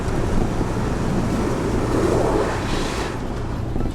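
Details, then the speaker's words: BMW i3 REX on a motorway at 70 to 76 mph, recorded in the cabin. A steady, deep rushing roar with no rhythm fills the cabin: wind buffeting through the open sunroof, described as sounding like an aircraft. "aircraft noise man anyway that was just a bit of a trial to see if you could hear that on this because it does uh come over rather loud"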